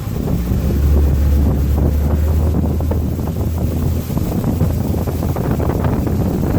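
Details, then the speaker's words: Mercury outboard underway in rain and heavy wind, after fitting a new fuel-water separator: low steady drone without stumbling or surging; running as fast as it should. "I'd say this is probably about far for the course I mean fast as it should be going"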